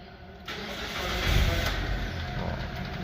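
Brief crank, then the engine catches cleanly and settles into a steady, even idle; starts normally.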